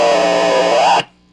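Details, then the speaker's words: Small DIY audio amplifier board with an unshielded twisted-pair input picking up noise: a loud distorted shriek holds a steady high pitch, rises slightly, then cuts off abruptly, caused by feedback; shielded cable recommended. "as you can hear is picking up some noise and sometimes and headphone we're be warned it's going to you might get loud here you get a shrieking sound as well"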